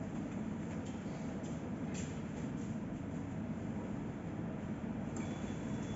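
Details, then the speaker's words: Yanmar engine with 14,000 hours, after repaired fuel pump, new injectors, repaired head with leaking head gasket and new thermostat, being run to watch for leaks: low, steady rumble at constant speed, no knocking or stumbling; healthy idle. "so i will start the engine now maybe you will be able to hear it run and it starts pretty good for a 14 000 hours machine"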